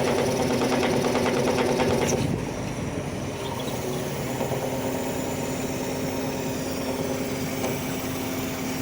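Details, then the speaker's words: Hydraulic piston pump on machine, harsh rattling chatter over the diesel with steady tone while operating the first boom under load; abnormal hydraulic system noise traced to failing pump, to be dismantled for inspection. "so this hydraulic pump is the main problem if you have abnormal sound in your hydraulic system"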